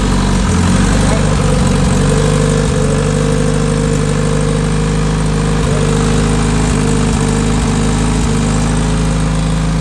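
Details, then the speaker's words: Freshly built Honda K-series race car engine idling: steady even low rumble, smooth firing, no knocks or ticks; sounds really good. "There we go. She sounds good. Like really good."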